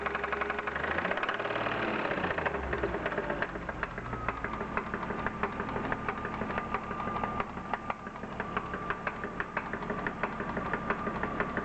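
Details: BMW E36 323i, M52B25 engine, 140,000 km: sharp light ticking knock at idle, roughly three per second; pulling each ignition coil plug in turn (cylinders 1–6) leaves the knock unchanged, so owner doubts a rod bearing failure.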